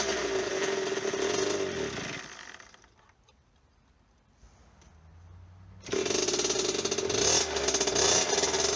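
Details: 1998 KTM 50 two-stroke dirt bike after carburetor cleaning: buzzy revs fade to near silence, then fire back up raspy; engine runs briefly then dies and won't keep running on its own, cause unconfirmed.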